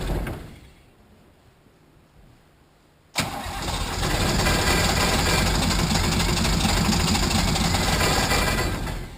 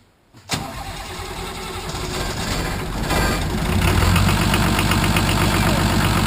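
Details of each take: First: Nissan 33SD turbo diesel in a 1980 International Harvester Travelall, after oil, fuel and air filter service: starter cranks, engine catches roughly for seconds and dies; air in fuel system, bleed screw needs cracking and priming again. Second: Nissan SD33 turbo diesel in a 1980 International Harvester Travelall after oil, fuel and air filter service, fuel system primed to purge air: cranks, catches and settles to a steady, even clatter about four beats a second with no misses; normal idle.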